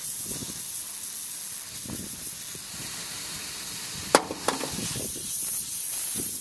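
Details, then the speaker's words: Refrigeration condensing unit pressurised with nitrogen, about 300: steady high-pitched hiss of escaping gas from a leaking tap; the high-pressure switch capillary had broken off and was later fixed with a new 1/4 flare brazed back on. "I think he noise coming for this tap on there I think that's leaking there on that's where that pressure is going"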